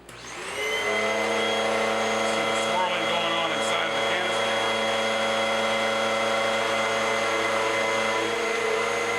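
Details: Bissell upright pet vacuum after full cleaning and rinsed foam filter, reassembled; motor spins up in under a second to a steady even high whine, no rattle or surging, running normally.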